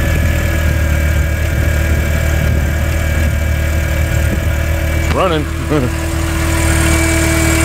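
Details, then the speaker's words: VW Mk IV 1.8T with new APR ignition coils on adapters, just after a cold start: a steady idle with an even whirring hum on top from the secondary air pump running normally. "That's the air pump. You hear that thing running."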